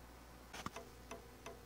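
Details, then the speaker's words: 250mm high-rpm PC fan fitted as a camping trailer (Airstream) vent fan, run at its lowest setting: faint, sharp ticks every third of a second or so with no spin hum. The fan stalls because the voltage is too low. "또다시 요런 소리가 나기 시작합니다. 전력이 모자라니까 띡띡띡 소리가 나는 거예요."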